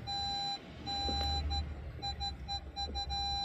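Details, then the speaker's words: 2007 Audi A4 B7 Avant in reverse: a high, steady parking-sensor warning beep sounds in long, nearly continuous stretches with nothing behind the car, persisting longer than before; cause not yet identified. "Și acuma văd că persistă mai mult până acuma nu persista mai mult nu știu ce vede în spate pentru că nu e nimic în spate"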